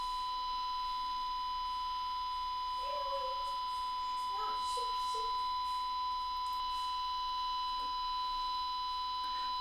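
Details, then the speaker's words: Zenith 5D810Y All American Five radio restoration, outside-foil test with 1 kHz signal generator into capacitor via alligator clips: steady test tone fairly loud in this lead orientation, quieter when reversed, so outer foil is not on the grounded side. "feel like this connection is pretty loud and it was less loud the other way"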